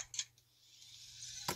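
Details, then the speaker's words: New Traxxas X-Maxx 8S motor checked with a dial indicator: two or three distinct sharp clicks as the shaft is pushed endwise toward the indicator, showing excessive axial slop; source of clicking unknown. "now this is the way when i click it this way going towards the uh dial indicator listen to this that's two clicks and that's three clicks i have no idea what is clicking here"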